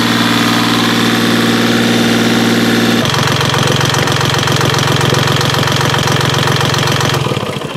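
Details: Yanmar 3GM30F marine diesel after gear case cover gasket replacement and reassembly: even idle clatter with one pitch drop partway through, then steady with no misses or knocks; running fine.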